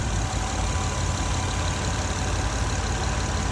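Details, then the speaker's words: Acura MDX idling: a loud, raspy, steady rough chuff with almost no muffling. The whole exhaust is busted from the engine rearward, including both catalytic converters and the mufflers, and is blowing everywhere. "So your exhaust, the whole exhaust is just blowing all over the place. So the engine's here, the exhaust starts here, that's busted."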